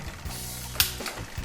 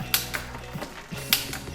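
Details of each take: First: Bike with 1x10/1x11/1x12 rear derailleur, upshifting to seventh sprocket: quick light metallic clicks as the chain pushes against the bigger sprocket; chain clicking from excess cable tension. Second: Bicycle 1x rear derailleur after indexing and cable tension adjustment: crisp single clicks about every 1.5 s over freewheel ticking as the chain drops down the cassette cleanly; shifting now sounds right.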